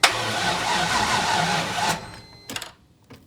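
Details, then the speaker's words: C5 Corvette drift car with new engine install and MSD Atomic intake, battery around 10 volts: labored, dragging crank about three or four turns a second, never catches; engine working hard to turn over on weak battery. "Hear it? Yeah. This thing's working real hard to turn over."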